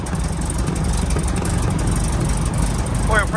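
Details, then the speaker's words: PA-18 Super Cub Lycoming O-320 first start after reassembly, idling: steady, even low drone, no knocks or stumbles; oil pressure came straight up, vacuum pump suction alive, healthy idle. "pressure's come straight up, that's good. Back pump's come straight alive, suction. Brilliant."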